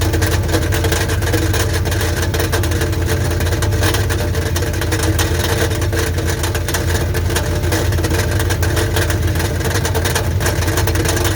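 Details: 1984 Dodge Ram Prospector 3/4-ton, 360 V8 automatic, said to be blown, with a newly reconditioned starter: an irregular metallic rattle at idle. Checked by stethoscope, it seems to come from inside the oil pan; the starter is to be checked first.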